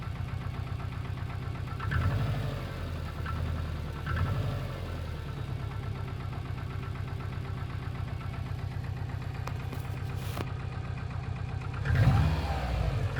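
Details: Subaru Impreza WRX GC8, EJ20G turbo boxer, with a steady metallic knock about four a second over the idle that grows louder on throttle blips. Driven this way for three years; others blame forged pistons, the owner suspects a connecting rod.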